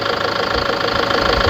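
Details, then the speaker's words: Steady, even diesel idle with regular clatter on a Toyota Tiger D4D 1KD 3.0, after valve adjustment, with a leaking injector found, for morning knock, white smoke and dipstick blow-by; engine now sounds healthy. "อ่ามาดูด้านนอกกันนะคันนี้ที่ทำออกไปนะเครื่องยนต์ก็เสียงเพาะเลยนะครับผม"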